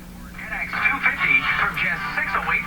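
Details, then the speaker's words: Philco model 49 four-band tube radio after low-output fault found; clear loud broadcast audio with steady hum underneath, volume control turned only 15 to 20 degrees; normal loud audio output. "there's no shortage of volume I'm barely turning the volume control here just 15° 20 at the most"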